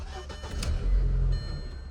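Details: 2004 VW Passat after crankshaft position sensor, EVAP sensor and vacuum check valve hoses replaced; engine catches with a brief low rumble for about half a second, then dies: start then stall, immobilizer later removed by reprogramming key chips.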